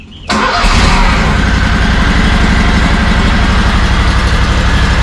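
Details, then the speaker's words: SCAG Tiger Cat II commercial mower, 670 hours, just back from the dealer after the same repair a 7th time: cranks and catches within a second, settles to a steady even idle with no misses or knocks; runs normally. "okay. She sounds like she's gonna be good to go, at least for this first yard."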